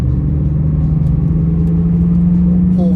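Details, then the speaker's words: 1995 BMW 325i E36 convertible with hardtop, about 70,000 miles, warm, driving in third gear: steady low hum rising gently in pitch over road rumble, changing as the car weaves side to side; a worn, probably original front right wheel bearing is suspected. "I don't know if you can hear it but I can hear kind of feel a little wheel bearing front um front right definitely as I kind of go side to side you can kind of come feel it go in and out"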